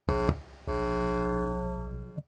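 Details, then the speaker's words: Toppro TPM8250 amplifier that had put DC voltage on the speaker output, after the burned A940/C2073 output and pre-driver transistors were replaced: touching the input connector brings strong buzzy mains hum through the speaker twice, showing the output now works properly. "Entonces eso eso nos está indicando de que la salida parlante está Perfecta de que todo está trabajando bien"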